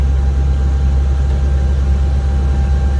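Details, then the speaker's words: Volvo VNL 670 with D13 diesel, about 630,000 miles, running solo: deep steady diesel drone with a thin constant whistle that comes on whenever the engine works hard under load; boost air leak whistle. "the problem with that noise is that is that it comes on every time the engine has to work hard every time at under a load"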